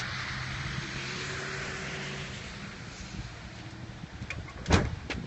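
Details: Van on a hill that won't start, with gas in the tank: starter turns the engine over steadily for a couple of seconds but it never catches, then a single clunk; crank, no start, with the fuel pump suspected but not confirmed.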